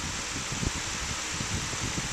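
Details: Fridgemaster 16-inch pedestal fan, new, first test, on top speed with a breezy airflow: smooth, steady rush of air with no ticking, rubbing or wobble. Normal running at high speed.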